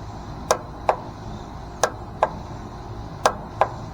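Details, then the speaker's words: Bobcat zero-turn mower with a weak battery on a jump pack, key turned: sharp single clicks in pairs about every second and a half, no cranking at all; starter solenoid clicking without turning the engine. "so that's the noise you hear um when your solenoid is engaging so normally you'd only hear the uh starter engaging but that solenoid is actually doing that same job"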